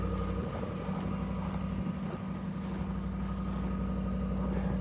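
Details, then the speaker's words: 2022 Ram 1500 5.7 Hemi V8 warming up after cold start at -24°C (feels -33), not plugged in, unstarted for a week: steady raised idle with even low drone, no ticks or stumbles; normal cold high idle. "Yeah, she's she's nibbly out this morning. Feels like - 33. Woo! Oh, yeah. Let her warm up. She's still revving out."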